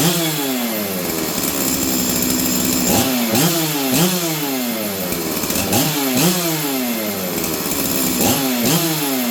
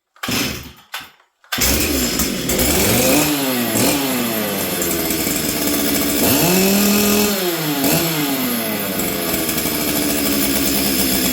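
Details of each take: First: Stihl 044 Arctic chainsaw, warmed up after new coil, intake boot, fuel line, filter and impulse line, high jet 1, low jet about 1: blips rev crisply and drop back to even idle, no more fluttering; normal running. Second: Stihl 044 Arctic two-stroke chainsaw with new correct coil, new spark plug, air filter refitted, started on full choke; revs rise and sag unevenly, burbling instead of holding a clean note.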